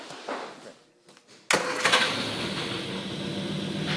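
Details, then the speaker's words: Triumph GT6 restart after the non-working one of its two carburetors had its float bowl and jet cleaned and the needle adjusted: near silence, then the engine catches at once and settles into a steady, even run with no stumbling; healthy start. "sounds better already [Music] oh yeah there it is that's it NE oh yeah that's what it's supposed to sound like oh yeah that's my car"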